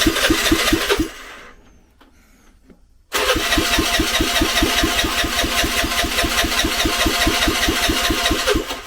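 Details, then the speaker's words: Vespa scooter not started for a while, being modified for off-roading: rhythmic cranking at about two pulses a second, a pause, then a long crank run without a clean catch. Reluctant, hard starting; owner attributes it to the long idle period, cause unconfirmed. "It might take a bit to start this because it's not been started for a while."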